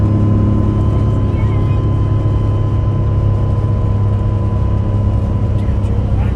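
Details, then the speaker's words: Bus with Allison V730 transmission at 65 mph after swapping synthetic fluid for motor oil, quieter than before: thin steady high whine over engine drone and road roar; transmission suspected, power steering or alternator also considered, source undetermined. "now this is quieter than before and the only thing that's changed is running motor oil in the instead of that synthetic let's get a little bit louder as we go faster"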